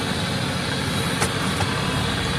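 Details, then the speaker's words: Jeep Grand Cherokee, about 200,000 miles, driving after fixing misfire with codes P2305, P0302, P0052; even low drone under road noise with no stumble, miss or surge, smoothest in years, normal running. "This is about the smoothest it's ran since I've owned it. It's probably the smoothest it's ran in years."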